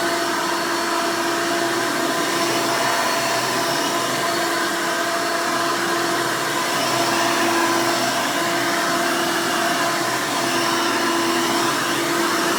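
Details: 1992 Hoover Elite II Total System Performance 650 U4689-910 upright vacuum, motor untouched since purchase: loud, steady motor roar, even pitch, no rattle, scrape or wavering; owner says it runs nice and smooth, normal running.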